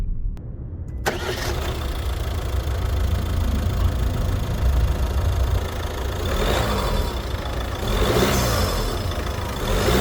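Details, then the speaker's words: Peugeot 508 GT 1.5 BlueHDi 130 diesel with EAT8, 2024: cold start, engine fires and settles into a loud rattling idle heard even in the cabin; normal cold diesel clatter that quiets once warm. "if you heard the engine loudly it rattles and even in the cabin you can hear it especially when starting cold Once the engine warms up, it is a bit quieter"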